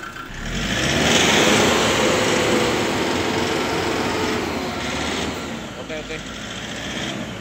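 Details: Kia Bongo III J3 Euro 4 diesel at idle: uneven clatter with a lumpy, shaky beat of about four pulses a second, plus engine vibration and black smoke. Misfire and rough idle from faulty injectors, replaced with brand new injectors.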